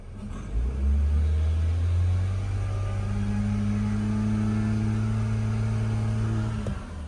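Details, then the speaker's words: BMW 328i with water pump warning and idle hunting, owner suspects a vacuum leak, after fitting a used sensor: revs climb briefly then hold flat at a steady moderate hum, no fault codes; engine will not rev above about 2000 rpm. "That's as high as it will go without any fault codes."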